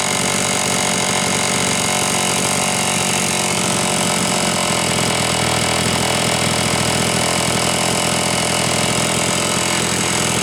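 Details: Homelite Super XL chainsaw test run after starter spring repair and a bad new spark plug replaced; it was previously running lean: steady full-throttle scream with no bog or surge, slightly rich on the high side on purpose to warm up.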